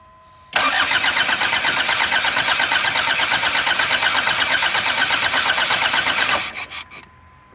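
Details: 1984 Isuzu Pup cranks evenly and rapidly for about six seconds but never catches; turns over but won't start.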